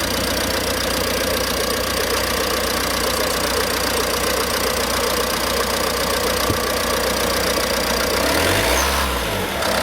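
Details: 2007 Ford Mondeo Mk4, 1.8 TDCi 125 hp diesel, 6-speed manual, about 280,000 km: even diesel clatter at a steady idle, no misses or uneven beats, a brief rev near the end; sounds healthy.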